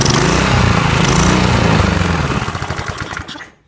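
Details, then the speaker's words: Single-cylinder lawn mower engine, being built into a riced-out mower, runs at a steady fast chug with even firing and no miss or knock, then is shut off and winds down; normal running, now smoother. "So it sounds like it is running smoother."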